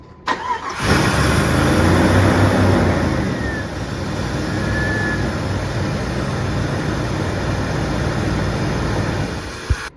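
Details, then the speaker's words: Lab Jeep with its MAP sensor connected, before the sensor-unplugged test: fires quickly, revs briefly high, then settles into a smooth, even idle before shutting off. Normal start and idle. "we're going to just show you what it sounds like operating normally"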